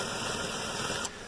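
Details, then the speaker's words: 2007 Chevy Equinox 3400 V6 with 100k miles at steady idle: earlier tic-tic ticking thought to be a lifter went away when a loose, moving spark plug wire was adjusted; now no ticking under a hissy wash. "noise went away when I played to that plug wire and you notice the plug wires not moving back and forth anymore"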